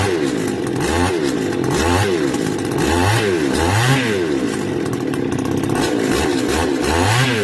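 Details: Stihl FS280 brush cutter two-stroke, warm, cover refitted for fan cooling: surging up and down about once a second, struggling to hold idle; stalls when warm, cause not yet found.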